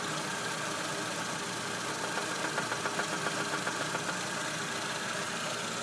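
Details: VAZ-2110 1.6 8-valve engine, 64,629 km: light regular ticking knock over steady idle in time with the engine; camshaft axial end play, gone after replacing the camshaft.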